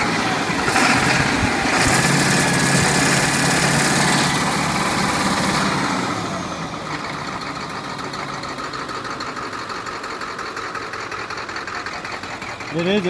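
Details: 2001 Ford F550 7.3L diesel at operating temperature: loud revving drops to idle with a steady rhythmic stumble about three times a second, with smoke; intermittent misfire once hot, cause unknown.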